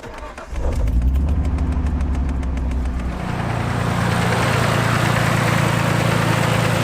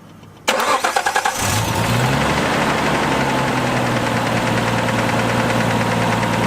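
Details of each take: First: R33 Skyline turbo after new Splitfire coil packs and spark plugs, fixing spluttering and breaking up: catches after cranking but idles lumpy with stumbling beat; misfire, owner suspects a coil pack connector not seated, middle wire pops out. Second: Nissan R33 Skyline turbo with new Splitfire coil packs and plugs, after fixing a shattered, half-connected coil pack plug. Brief crank, clean catch, steady even idle with no misfire or stumble; issue fixed.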